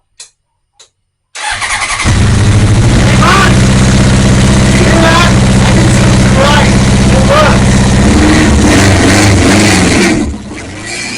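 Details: Honda CB900 first fire after carb install, cold on full choke: starter cranks, engine catches and settles into a fast even idle with a steady low throb; heavy smoke in the workshop.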